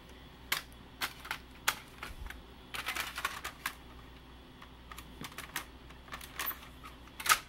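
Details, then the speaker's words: AppleCD 150 external SCSI CD-ROM after repair of its leaking capacitors, reading a pressed CD: quick light clicks and brief whirs as it spins up and seeks, settling fast with no retries. It reads normally, much faster than the earlier disc. "here we go oh yeah that's much faster all right so pressed discs work great"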